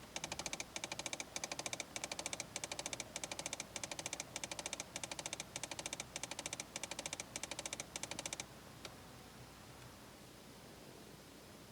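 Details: 2008 Ford Fiesta heater: fast sharp mechanical clicking in quick bursts then silence, from heater controls, long-standing problem; owner can't identify cause.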